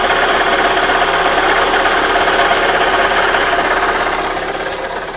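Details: Astra G 1.6 16V engine at steady idle with a fast, fairly regular tick of about three per second riding over it. Engine noise present, cause not pinned down.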